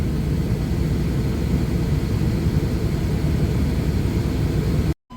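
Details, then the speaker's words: 1997 Chevrolet K1500 Silverado 5.7L Vortec V8 with a rebuilt engine, troubleshooting code P0137, idling about 20 minutes with AC on: deep, even rumble holding steady where it used to bounce, check engine light off. "it's been around for like 20 minutes no lights back on and idle is like 100 better it was like bouncing around between eight nine all the time now it's just kind of steady"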